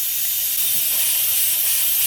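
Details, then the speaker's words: Turbocharged Cadillac Escalade V8: loud steady high-pitched hiss of boost air escaping at the rear number seven injector; intake-side o-ring not sealing, injectors all leaking a little, injector angle suspected; boost leak at injector o-ring. "you hear that that's actually the rear injector number seven injector all that air is getting pushed out so the o-ring on the intake side is not sealing and the number one is leaking"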